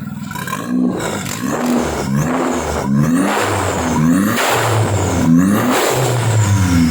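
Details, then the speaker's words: Kancil converted to Japanese AVY turbo engine: repeated hard throttle blips rise and settle back cleanly, smooth and even, no misfire or knock. Engine judged perfect, no smoke; early smoke came from spilled oil. "Okey. Ngam. Enjin ngam. Tak ada masalah. Ini enjin terbaik ni."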